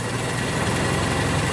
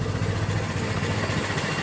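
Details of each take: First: 1925 Ford Model T at full idle after advancing the spark lever from retarded; steady, even low rumble, no misses, much smoother than before — normal idle. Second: 1925 Ford Model T just hand-crank started, spark lever fully retarded; slow, lumpy, uneven idle with heavy shake, rough until spark advanced from the cab — rough running with retarded ignition timing.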